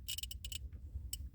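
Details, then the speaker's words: Gen 3 turbo LS, manual, HP Tuners speed density, two-step relay wired to IAT signal: a few sharp dry clicks over low steady rumble as the relay is grounded and intake air temp reading drops. Normal relay click. "you hear a click and you will see intake air drop release it reads back again"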